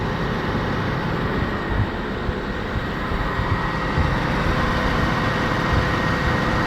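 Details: LN3 3800 V6 (1988–91) after harmonic balancer replacement, idling with the AC clutch engaged: steady smooth hum with a faint constant AC whine and no rattle or tick. The engine sounds healthy.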